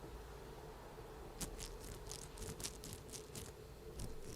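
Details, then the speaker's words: WLToys 144001 RC car rear differential turned by hand: irregular gritty clicks and crunches that loosen up slightly; it sounds like something is caught inside, possibly dirt or stones among the metal gears. "Definitely sounded when I first, it's loosened up a little bit, it definitely sounded like there was something caught inside, but I just don't know how."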